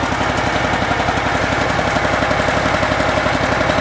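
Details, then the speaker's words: Cub Cadet Super Cub garden tractor with a Kohler Command twin, warm: lumpy, loping idle with gaps between firings, running only on the left cylinder; dead-cylinder misfire from a bad right-hand ignition coil. "But anyhow, I think as you guys can hear, it's only running on this lefth hand cylinder when it gets warm."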